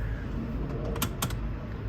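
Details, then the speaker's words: Saab 9-3 after programming new keys: key placed in the ignition lock, two crisp clicks about a quarter second apart in a quiet cabin; ignition lock engaging normally. "Place key in the ignition lock and you heard it click"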